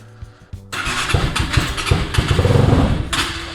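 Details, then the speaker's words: Cheap 250cc non-running project motorcycle, start attempt: a few failed cranks, then catches and lumbers with uneven lumpy firing and surges; running but not properly yet. "All right, so we're not quite there yet, but I think we're close. Uh next weekend, we'll see if we can get this thing running properly."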